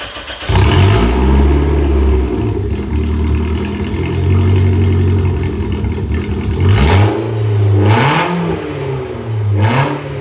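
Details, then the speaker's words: Engine fires up and revs hard with a raw, blatty roar and crackle on each blip; loud exhaust. "It is a little bit louder than stock because it doesn't have that secondary cat and resonator"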